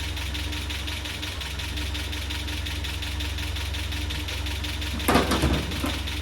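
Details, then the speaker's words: Land Rover Series 3, just started after a head gasket replacement and timed by ear: a steady idle with a light, fast ticking clatter about three per second. Timing checked and correct; owner wonders about valve clatter or low oil. Engine clatter at idle, source unconfirmed. "So I'm going to try and time it by ear. That sounds pretty good. Bit clattery. Where's that clatter coming from?"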